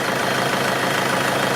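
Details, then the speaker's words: Mercedes brake vacuum pump with engine idling and hose disconnected: a steady hiss of air rushing into the open hose, and a finger is sucked in, so the pump is working. "On va entendre un petit bruit. Écoute, je mets mon doigt. Ça m'aspire. Donc là, il y a pas de souci. Ça c'est que c'est fonctionnel."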